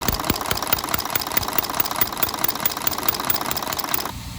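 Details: Mercedes Axor truck with OM 457 diesel engine running, brought in for an abnormal engine noise: a sharp, regular tick about two or three a second; engine knock, cause suspected, not confirmed.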